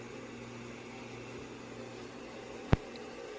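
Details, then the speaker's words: Old 286 computer on the bench during restoration, powered on: low steady mains hum from the power supply with soft fan hiss and one brief click; normal power supply hum. "Okay, so here we are on the bench. Computer's powered on. You can hear the hum of that power supply in the"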